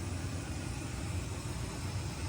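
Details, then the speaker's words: 1995 Lincoln Continental bought from an estate, unmodified 4.6-litre overhead-cam V8 idling: low, smooth, even rumble with no misses, knocks or ticks; idles cleanly. "that little engine really really runs good that's a overhead cam 4.6 like I had in a Mustang one time had one of these in my Mustang and"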